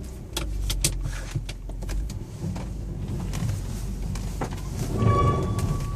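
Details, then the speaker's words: Mitsubishi Outlander III, cold engine, slippery road, stability control (ASC) off, D auto mode: clicks and rumble, then a short steady high-pitched squeal rising as wheels spin on throttle; brakes ruled out, transfer coupling suspected. "Звук по-прежнему остался при подгазовке, несмотря на выключенный АСЦ. Сейчас, получается, тормозить машину тормозами не может она сама себя, потому что выключена курсовая стабилизация. Значит, все-таки это гудит муфта."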